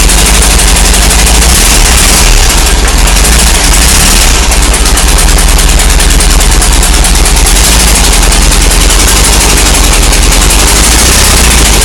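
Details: 1960 VW Bug with a 1600 dual-port engine, first run after a no-start: loud, hard rattling with a heavy low throb that holds steady; the engine fires on its own and keeps running.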